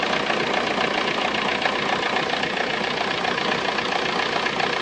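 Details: Abnormal noise from a VW Golf 3 diesel engine at idle: harsh idle with a fairly regular tapping, roughly four per second, over a hissy clatter. Source unknown.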